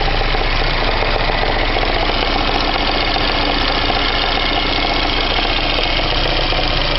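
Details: VAZ 2109 engine, knock appeared two days ago and persists after warm-up to operating temperature: warm idle with fast, loose-timed tapping about three or four a second over a steady drone; cause unknown.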